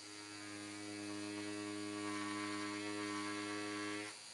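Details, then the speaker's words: Stigma Hyper V3 rotary tattoo machine lining at about 10–11 V, thumbwheel loosened one turn: quiet, steady hum at constant pitch for about four seconds, then a clean stop; the motor purrs smoothly, healthy. "Et on entend le moteur, il ronronne, d'accord?"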